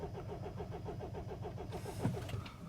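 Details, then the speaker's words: 2007 Mini Cooper D diesel (R56) with crank-no-start complaint, fault code 4A63 EWS tampering; steady starter cranking about five pulses a second for under two seconds, never catching; immobiliser blocking the start. "so the customer's complaint is crank no start let's just confirm this there we go"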